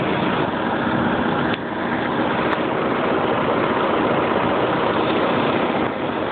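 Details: 1995 BMW 750iA M73, 170,000 km, cold-start idle uneven and lumpy with a faint metallic tap from the passenger-side lower engine bay in the exhaust note; seller suggested a possible exhaust manifold hole; rough running, tapping source unconfirmed.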